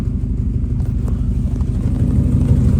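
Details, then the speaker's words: Abandoned 2013 Subaru WRX just started after sitting, with a full tank: lumpy, uneven idle with irregular pulses. It sounds like a pretty good misfire, and the engine dies; the cause is suspected, not confirmed. "Sounds like it might have a pretty good misfire, but other than that, it actually does run."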